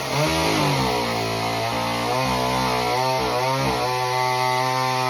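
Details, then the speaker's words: Homelite Super Mini two-stroke chainsaw after repair (previously wouldn't run, rev or idle): high buzz dips and recovers while cutting a big log without stalling; runs strong. "so the saw runs really well it cuts like butter I'm surprised on how well it cuts through that big log"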